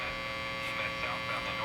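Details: Vintage Marconi 238 tube radio after paper capacitor replacement: constant buzzing mains hum with a thin whistle, no station; owner suspects a weak 6BE6 tube.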